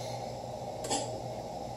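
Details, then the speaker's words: Forward/reverse contactor (Curtis Albright SW202), switched from neutral to forward: single sharp click over a quiet hum, a sharper noise; contactor pulling in normally. "so the forward and reverse contactor is it Curtis Albright to sw20 to and it's a little bit sharper noise then the"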